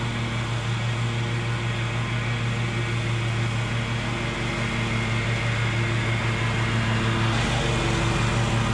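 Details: Bad Boy zero-turn mower, fire-damaged engine repaired, drive pull fixed and new blades fitted, mowing: steady even drone at constant speed, no misses or knocks; engine and deck healthy, even cut.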